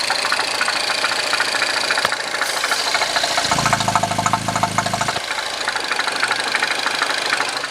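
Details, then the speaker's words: R56 Mini Cooper S, freshly rebuilt engine, first oil change, just started: fast light uneven ticking rattle over the idle from the top end; owner suspects hydraulic lifters needing a good drive, not confirmed. "still have that top end tapping slash rattle what I'm thinking it is probably the hydraulic lifters"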